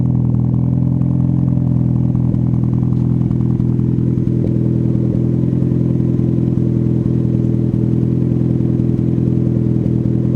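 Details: Cold start of a car with a newly fitted performance muffler whose fiberglass packing is not yet broken in: deep, steady exhaust drone at raised cold idle, even pulses, no rattle or leak; normal healthy cold start.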